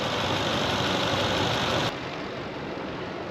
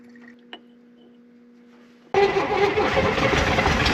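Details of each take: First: V8 just revived settles into a steady, even idle with a smooth rumble and no knocks or misses; normal, healthy idle. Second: 1965 Corvair 110 hp engine after a starter replacement, pack-rat damage repairs and confirmed spark; the starter cranks steadily, the engine catches briefly and fades, then cranks again without running on its own; the owner suspects the carburetors need cleaning.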